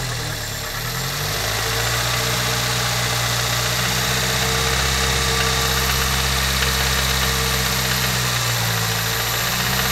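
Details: Toyota Corolla at idle: steady light tick about four per second following engine speed, started suddenly; owner suspects a lifter needing replacement or adjustment, top-end valvetrain tick not confirmed.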